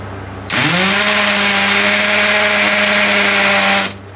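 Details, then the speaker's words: DeWalt drill run for a noise comparison against a Tanzu 13mm brushless drill; spins up to a high steady loud whine, held evenly, then stops. Normal drill running, much louder than the Tanzu. "Kanina tolerable yung ingay eh. Pero, pag ginamit ko itong DeWalt, yan yung ingay niya na."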